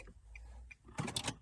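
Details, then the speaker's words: 2009 Nissan Altima with slot-type proximity key, after programming keys; ignition off, then short burst of mechanical clicks and a whir as steering lock bolt engages; normal steering lock engagement. "And you hear the steering wheel lock. We're good to go."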